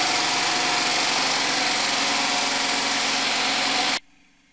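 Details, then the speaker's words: DIY 12 V DC generator, small single-cylinder engine driving an alternator (about 80-100 A) into a battery bank and inverter, muffled exhaust: steady, even buzz for about four seconds, then quiet; normal smooth running with no misses. "so I wanted to show you my 12volt DC generator actually operating and this is it operating with my battery bank and my inverter"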